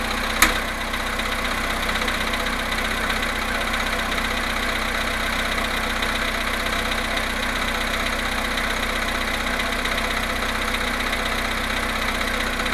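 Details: VW Polo Sedan cold start at +1.5 °C after sitting 19 hours, 17,937 km: steady idle with a faint, irregular light tapping about two per second over the hum; cold-start engine knock, cause suspected, not confirmed.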